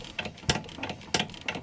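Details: Nissan Primera P11, knock over bumps at low speed while body rocked: sharp irregular clunks about every half second; stabilizer link had unscrewed after a leaking steering rack soaked it in oil, cleaned and tightened, fixed.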